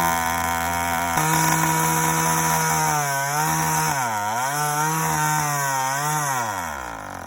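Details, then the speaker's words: Yamaha YD100 two-stroke on first startup after a Dio reed valve, ported cylinder and windowed piston; a high idle hunts and surges; owner suspects the uncapped boost port; erratic high idle. "i didn't try it without that that might be what's giving me that crazy uh idol but no matter what i gotta cap that off"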